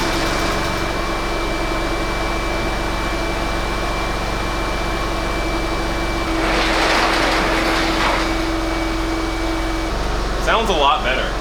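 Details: Salvage Porsche 996 911 just after an oil change replacing decade-old oil: steady, even idle with a smooth hum and a faint whine on top; no knocks or misses, running healthy.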